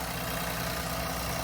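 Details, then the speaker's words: 2020 Infiniti Q50 3.0 twin-turbo at Copart: steady even idle hum, no misses, knocks or shaking; engine idling smoothly and healthy. "and it sounds good. It doesn't sound bad or something."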